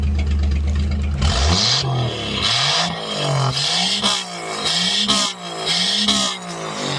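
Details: 1962 Chevy Biscayne, original 235 inline-six, revved hard about once a second to blow debris out of a blocked exhaust pipe: each rev rises and drops with a raw, loud bark.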